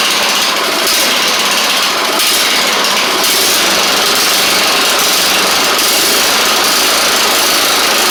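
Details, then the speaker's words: Troy Bilt Bronco riding mower, Kohler Courage single-carburetor engine, after reworking bent choke butterfly that wouldn't close: busy, uneven, wavering engine note never settling; better but still not great, choke spring appears broken and not returning; rough running from faulty choke. "better still not great but we'll see what maybe we can muster with something here um this one the choke spring isn't returning it like it needs to so so cuz it looks like it's broke"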